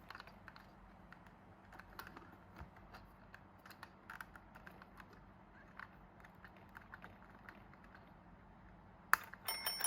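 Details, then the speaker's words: IKEA DEKAD alarm clock wouldn't run despite new batteries because the black wire had come loose from the battery holder (likely a poor solder joint); once reconnected, faint ticking then a rapid metallic bell rattle, alarm ringing normally. "อ่ามันตีครับเสียงกระดิ่งดังแสดงว่าอาการเสียวันนี้ก็แค่สายไฟหลุดออกจากรังขาดนะครับ"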